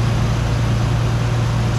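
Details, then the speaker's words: Non-turbo Australian-delivered Nissan 300 V6, warming up on choke, after a new water pump, plugs, and oil and air filters. It used to stall at idle; now a steady even drone with no misses or hunting, idling smoothly. "just normal servicing stuff oil filter air filter and all that sort of stuff and it's running really sweet now"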